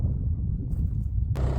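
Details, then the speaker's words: Dozer started after winter storage, with battery charger on and block heater plugged in at about 50°F, lit right off: steady, even low diesel rumble at idle with some wind noise; normal idle. "As you can hear, the dozers running. I went ahead and uh put the battery charger on it."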